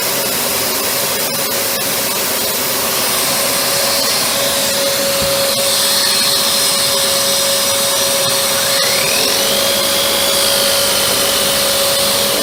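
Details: Panasonic MC-UG302 1900 W upright vacuum after fitting a new brushroll, replacing the seized one: steady constant-pitch motor whine, no rattle or catching; running healthy.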